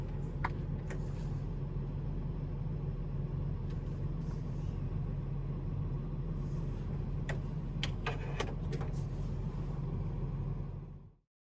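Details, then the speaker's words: Car radio playing from phone via USB-C adapter through a ground loop noise isolator into the aux port: steady low cabin rumble with a few light clicks, the buzzing gone. "inside that video that you just saw the buzzing sound go away"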